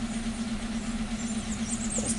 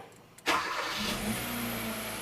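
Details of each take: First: 2015 Hyundai Accent with codes P0335 and P2188, tach reading zero, stalling, loss of power and running rich, at idle: uneven loping rough idle with low hum and shake, no misfire counts; failing crankshaft position sensor. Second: 2015 Hyundai Accent after crank sensor diagnosis (P0335, dead tach, hard start, stalling; P2188 rich at idle): brief crank, catches at once, steady even idle. Normal start.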